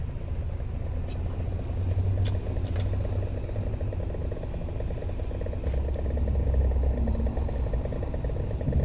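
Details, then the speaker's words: Toyota Tacoma in gear at low rpm: low engine rumble with fast light thudding like a soft drum roll from behind the dash near the glovebox; something loose rattling, not confirmed. "as you just heard from the clip sound number two some sort of like thudding it almost sounds like a like a like a very light drum roll going on and that's coming from somewhere behind the dash"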